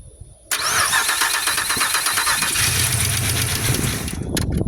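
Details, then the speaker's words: Pontiac Grand Prix after an engine swap, started with the fuel pump relay in; the starter whirs, then it settles into an even, much quieter idle with no clatter or knocking and no leaks; it still needs VATS delete programming. "Well, it definitely sounds much quieter now. So that's good."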